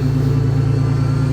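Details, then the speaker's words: Steady mid-pitched whine from the front of the engine over a pulsing idle; a power steering leak is suspected but unconfirmed. "sounds like it's got a power steering leak heavy wine from the front"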